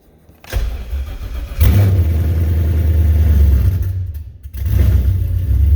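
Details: 2015 Paxton S550 with a TH400 install, clutch pedal switch rerouted to the neutral safety switch: brief crank, the engine fires, blips up, then settles to a steady low rumble; normal start-up.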